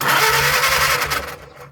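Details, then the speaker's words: 1937 Willys four-cylinder flathead generator engine that sat covered outdoors 15–25 years: steady starter churning that fades out with no firing. No spark despite cleaned points and 12 V at the coil; cause later found to be a loose coil wire. "No, sir, we are not getting fire."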